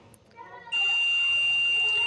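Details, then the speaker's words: 17 W LED bulb repair, multimeter continuity test on a diode: steady high continuity beep for about a second and a half in both directions where there should be none; shorted diode. "ये दोनों side से हमको beep की आवाज़ दे रहा है, जबकि यहाँ पे बीप नहीं देना चाहिए।"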